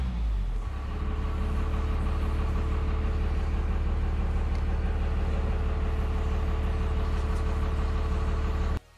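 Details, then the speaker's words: Deep diesel drone of a 1998 Dodge Ram 2500 5-speed 4x4 12-valve P-pump Cummins rises quickly on a brief rev from idle and holds smooth and even with no knocks or misses, then cuts off, after installing an electric fuel pressure gauge; engine running healthy. "Yeah, all looks good. Looks like it's running good. A little rev."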